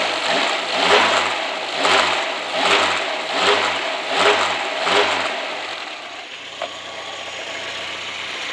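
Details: Close-up engine clatter swelling with each rev blip, heard through a stick held to the microphone: a light metallic rattle from a slightly slack timing chain, which the owner says does rattle a bit.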